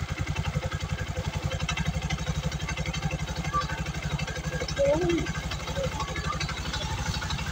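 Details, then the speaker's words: Bajaj RE engine with rattle from the cylinder head, after valve clearance check and adjustment: even steady putt about four beats a second with no rattle or tapping; normal idle after repair. "yan mga smo na uli yung tunog niya So nawala yung lato"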